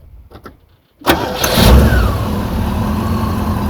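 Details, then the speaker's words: Rover SD1 3500 Vanden Plas V8, first run in about 10 years: starter catches after a second, fires cleanly and settles into a smooth, even idle with no misses or knocks; normal idle. "running it sounds sweet you know top n Lakes smooth as you like it's not bad considering south of 10 years"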